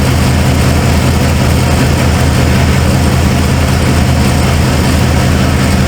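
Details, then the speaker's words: Cold start of a 1995 Ford F-150 V8 barn find: a deep idle with an uneven, lumpy beat and a recurring stumble. The owner suspected plug wires or firing order, and a passenger-side plug was gas-fouled. One cylinder is dead. "well maybe I need to recheck the firing order CU like I said it's got a Mist"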